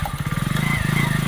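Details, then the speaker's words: Hero Splendor at 3000 km, test ride after installing new brake shoes to cure a chirping noise when braking: single-cylinder engine putters evenly, and the brake, applied firmly, is now silent. "Break को अभी हम दबाए हैं। वही आए हुए हैं। और देखिए साउंड बिल्कुल नहीं आ रहा है ब्रेक से।"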